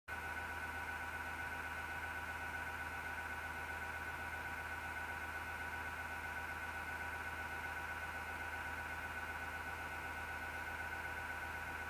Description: Noise of PSU Fan Terrible Horrible vibration and is felt